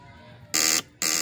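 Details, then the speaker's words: Skygo motorcycle, hard start: two short harsh buzzes about half a second apart when push-start pressed, caused by loose battery connection that smokes and sparks; check and tighten it. "Ayan pag pinu-push start niyo ta's may ganito. Okay? So ang gagawin niyo diyan check niyo diyan 'yung ito. Check niyo 'yan. Maluwag 'yan."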